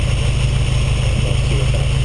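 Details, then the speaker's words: Ferrari 308 GTS carburetor sync; earlier stumble around 3500 rpm was cured with 60s, now back on 50s with 135 mains: deep, steady roar with no popping, stumbling or hesitation; smooth revving. "And as you can hear, there's no farting or stumbling, but uh I'll take it for a drive."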